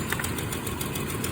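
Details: 1991 Toyota Land Cruiser 3FE idling lumpy and stumbling with a knocking beat, even after a new fuel pressure regulator, fuel damper, fuel filter, plugs and wires. Rough idle, no power and poor mileage persist; cause unknown.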